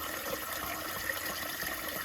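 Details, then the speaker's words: Hydronic boiler heating zone being purged through the circulators. Irregular gurgling and spitting water with bursts of bubbles as trapped air comes out of the loop. "see it coming out of here. You hear bubbles, but he's spitting, you know."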